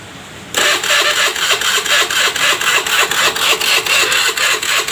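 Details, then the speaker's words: Honda Beat FI scooter, already serviced and reset, starter cranking: steady even churning about four compressions a second, never catching; cranks but won't start, fixed by replacing the injector. "mesin gak bisa hidup ya Hai susah banget hidupnya"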